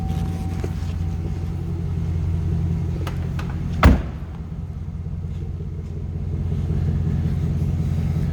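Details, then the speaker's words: 2005 Chevrolet SSR, stock 6.0 L LS2 V8, 23,506 miles, no warning lights, heard from the rear at the exhaust: deep, even idle rumble with one brief thump. Stock exhaust, nothing aftermarket; no misses, ticks or knocks, a healthy idle. "little rumble coming out of that LS 2 engine. Again, 6 liter. But no crazy exhaust, nothing aftermarket or anything like that."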